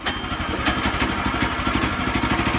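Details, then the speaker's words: Woodland Mills sawmill small engine just started, idling with blade not moving: steady, even low putter with no misses or knocks, normal idle. "as you see it started and it's running. That is not moving."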